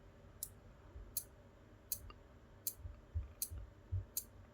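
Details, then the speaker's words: Elegoo Arduino Uno starter-kit relay circuit after uploading the program: about six sharp single clicks roughly every three-quarters of a second over a quiet background as the relay switches; normal relay clicking. "okay the relay is just ticking let's just look at the code"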